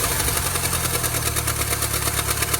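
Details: 2nd-gen Mini Cooper at idle: fast, even slapping clatter ticking in step with engine speed over a busy hiss, from a damaged drive belt with missing chunks; replacing the belt made the engine quiet again.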